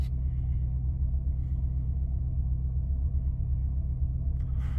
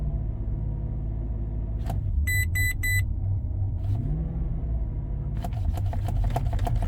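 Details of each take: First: Warm 2005 Maserati Quattroporte, 4.2 litre Ferrari V8, restarted after cooling: radiator fan off, idle settles at 975 rpm. Deep, even low rumble, no misses or knocks, perfectly steady; normal idle. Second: 2005 Maserati Quattroporte, 4.2 litre V8 Ferrari engine, just back from another garage: revving weirdly and idling high, surging and jumping without throttle input, with chimes; motorized throttle fault.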